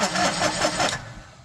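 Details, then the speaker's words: John Deere Gator 850D diesel with no-crank fault, after cleaning transmission neutral safety switch connector and triggering starter relay; starter cranks in quick even pulses about five per second, normal. "it starts cranking so I I think the problem was actually back there with that connector"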